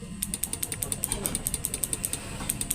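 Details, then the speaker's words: Relay on a PDC inverter (setrum) clicks sharply and evenly about nine times a second while no output current comes out; relay chattering with no output. "Arusnya enggak keluar ya, Guys. Berarti fix ya kerusakannya arusnya tidak keluar ya. Cuman saklarnya aja yang cetek-cetek ini ya."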